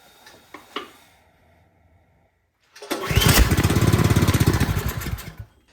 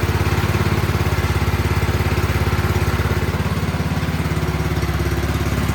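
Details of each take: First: Troy-Bilt 28-inch snow blower on full choke after priming: a few pulls, engine catches about two and a half seconds then dies; spark good, fuel starvation. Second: Troy-Bilt 28-inch snow blower single-cylinder holds a steady, even putter for about ten seconds, then cuts off cleanly; runs normally after cleaning its clogged carburetor.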